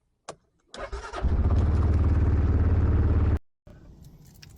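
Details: Massimo T-Boss UTV after installing a wireless remote battery disconnect: brief starter crank, engine catches quickly into an even, steady idle, then shuts off; starts cleanly and sounds healthy.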